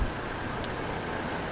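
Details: 2002 GMC Envoy after replacing water pump and thermostat to cure overheating following a radiator swap: steady, even engine hum with no knocks, ticks or rattles, temperature holding about 190–200; normal running, issue fixed.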